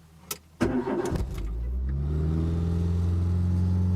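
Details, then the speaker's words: 1997 Renault Twingo 1 started after sitting overnight, stepper motor already replaced: engine catches, then revs climb and hang high with no throttle; runaway idle, finally traced to a faulty battery terminal and flat battery. "Voilà, le moteur il part en sur-régime. Donc je le coupe."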